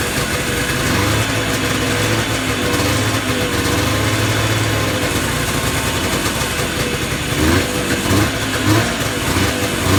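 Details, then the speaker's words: Yamaha Enticer 300 two-stroke snowmobile, unknown year, 120 psi compression per side, revived after sitting: buzzy idle holds on its own with a few light blips near the end; normal two-stroke idle. "Well, you got a runner."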